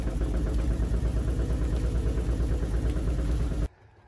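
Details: 1953 Chevy truck, recently given new fuel tank, fuel pump, tune-up, radiator and water pump: low, heavy rumble with a rough pulsing knock about three per second when put in gear and revs pull down, not out of gear, before it cuts out; engine knock under load, cause unconfirmed.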